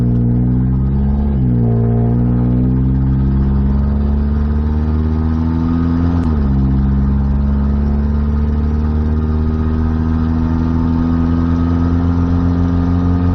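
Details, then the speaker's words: Freshly reassembled 1994 Nissan Hardbody mini truck engine, run out of oil then torn down and repaired without full rebuild, at highway speed: smooth steady drone, pitch dips at shifts, no knock or tick; engine healthy. "Miles into the trip, we've hit highway speed, everything's good. I don't hear any strange noises, knocking, ticking, or anything. So I'm gonna consider it a win."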